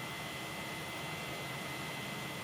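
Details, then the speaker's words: Swiftech H20-320 Edge water cooling kit, pump running outside the case on a 4.2 GHz, 1.35 V CPU under Prime: a constant high whine over a hiss. The pump is the noisiest part, annoyingly loud. "but seriously the noisiest thing is the pump I have had a fiddle with it to try and see whether there's anything I could do but does just seem quite noisy outside the"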